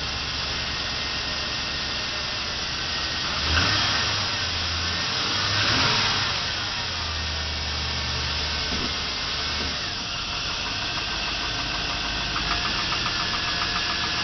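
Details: 1999 GMC Sierra SLE V8 pickup, 175,400 miles, cold start at about 40°F after two days sitting: a dull, uneven knock (piston slap), worse in drive with increasing throttle, fading after less than a minute of idle.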